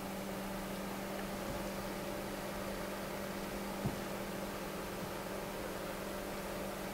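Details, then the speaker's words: Noctua NF-P12 120mm fan at 12 V, 0.09 A, about 1300 RPM: faint even low hum and soft airy hiss with no ticking, rattle or wavering speed. It needs a higher starting voltage but runs very quietly. "so it does have a higher starting voltage but it's so quiet that it doesn't really matter"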